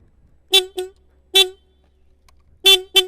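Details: Yamaha Vixion motorcycle original horn before fitting Denso snail horns with 30A 12V relay: short thin beeps in pairs; horn works but tone weak and tinny.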